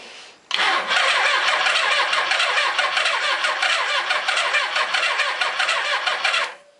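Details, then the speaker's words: Suzuki GS850 motorcycle that sat outside uncovered over 10 years, starter solenoid jumped; starter turns the engine over hard for about six seconds with an uneven, lurching gallop; low compression on one of four cylinders suspected, not confirmed. "Got a bit of gallop in it, so it sounds like I've got low compression on one of the 4 cylinders."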